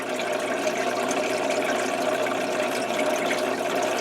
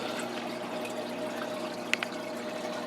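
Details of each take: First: Old Tetra Whisper 20 hang-on-back aquarium filter, a couple of years old: steady water splash with a light, even buzzing rattle underneath from a worn impeller; such filters get noisy after two to three years, replaced with Whisper 40. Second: New Tetra Whisper 40 hang-on-back filter replacing a rattly Whisper 20 on a 20-gallon crab tank: only a steady soft trickle and splash of water, no rattle or buzz; running quietly and normally.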